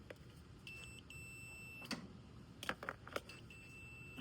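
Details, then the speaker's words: EZGO golf cart pedal micro switch tested on multimeter ohms/continuity setting: steady high continuity tone as gas pedal is pressed, switch closing normally. "I'm hitting the gas now, so that right there tells me that my micro switch is working."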